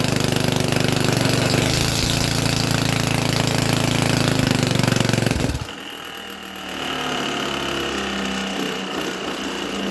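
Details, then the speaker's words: Mini tractor small engine, first start in 13 years, no exhaust fitted: loud, raw, even bark at steady rhythm until it suddenly cuts out; otherwise running fine, shortly before a suspected snapped conrod. "the engine actually ran and sounded quite nice. What do you think? Do you think she ran and sounded nice? Considering it's got no exhaust on, that'll be why it was a bit loud."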